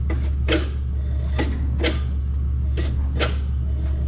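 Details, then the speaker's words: Electric brakes being tested on a refurbished, rewired gooseneck equipment trailer: sharp clicks roughly every 1.5 seconds over a constant low hum as the brake magnets engage, with the inside brakes checked too; all brakes work. "So the brakes work. Hit it again, Jimmy. Let's test these inside ones. That one's good."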